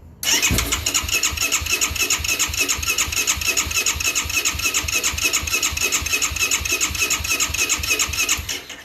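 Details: 2009 Yamaha YFZ450R fuel-injected with electric fuel pump, crank no start: steady starter churning at about three and a half beats per second for eight seconds, never catching; no fuel pressure, failed fuel pump.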